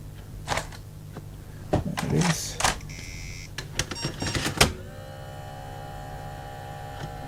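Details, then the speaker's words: Floppy drive in an old 486SX laptop, powered up: scattered clicks and scraping, then thin steady whine of a motor spinning free; snapped drive belt. "definitely not the kind of noise a floppy drive should be making so we'll take that out because we're going to need to look at that"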